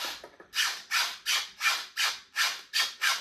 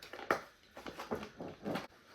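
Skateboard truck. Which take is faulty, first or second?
first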